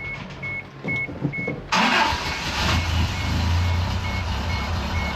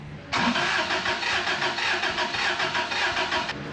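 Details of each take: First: 1990 Isuzu pickup that had lost a cylinder, with the old mechanical fuel pump refitted after the new one wouldn't pump fuel: a few chime beeps, then it fires up instantly and settles into a smooth, steady idle. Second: 1990 Isuzu pickup, 220,000 miles, compression test cranking that never catches, uneven beat as one cylinder puffs nothing; readings 112, 0, 116, 126 psi front to rear. Zero in cylinder two, suspected bad valve.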